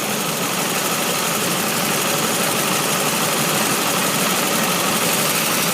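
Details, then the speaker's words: 1999 Pontiac Grand Prix GT at idle: sharp rapid ticking and puffing, about three per second, crisp and hissy; the pipe joining the exhaust header is loose and leaking exhaust at the header connection. "our soft pipe that connects to the header is loose so it's tossing the smoke to filtrate to"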